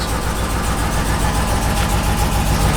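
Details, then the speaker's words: Work truck, 6.0 L V8 with 4L80 transmission and 4-inch exhaust: deep idle with an uneven, loping pulse, the stumble of a misfire reported by the seller. "you can hear the misfire it's a typical war truck"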